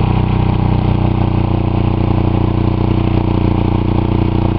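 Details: Buick 3.8 (3800) V6 run with one connecting rod removed, a giant hole in the block and little oil after blowing up; heavy rapid clatter about three knocks a second over a rough low drone, lasting about a minute before smoking and spitting oil.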